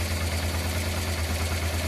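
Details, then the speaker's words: Honda Transalp twin, carbureted, both idle mixture screws set to factory 2.5 turns out: even low idle with steady pulse, no hunting or popping; rough idle fixed, engine runs smoothly. "Okay, as you see now from the gauge, but from the sound also of the engine, our engine now works fine. I would say perfect."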